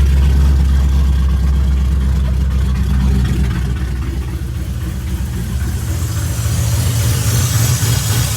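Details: 2006 Mustang GT V8 on first start after an engine rebuild with new mods, exhaust very loud: ran really rich, then the idle smoothed out nicely; steady, even deep burble, no knocking or misfire.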